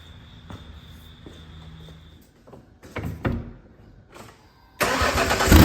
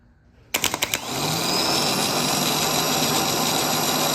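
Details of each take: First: Truck that would not start after sitting for months following an engine replacement, previously grinding and dragging hard: after a new starter and cleaned cables with a new ground cable end, a few clicks, brief crank, and it fires straight into a strong, even run. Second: Starter removed from a 2008 Ford Ranger 4.0 with a replacement engine, no-start after sitting months, bench tested: a few sharp clacks, then rough, growling whir that spins up unevenly and stops quickly; worn starter, replaced.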